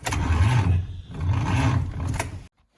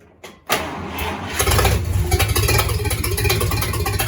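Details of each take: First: Rebuilt 1953 Dodge 237 ci flathead (6-volt system), second start attempt: slow labored cranking in two short bursts, never catches; weak starter from poor ground, later fixed with a good ground; old battery suspect. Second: Rebuilt 1953 Dodge flathead, 228 ci bored to 237 ci, very first start attempt: starter cranks briefly, catches and settles into loud even idle with open-exhaust rumble; healthy.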